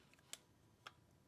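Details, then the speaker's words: 2008 LT Ford Focus 2.0 Duratec, towed in no-start with U1900 code: removed starter motor relay on a bench tester, crisp even single clicks about every half second, ten cycles checking pins 30 and 87; relay tests OK. "It'll do that 10 times. And it's saying that it's okay. So what it does is it turns the circuit off and on, and then checks for the current across pin 30 and 87 to make sure it's in good nick."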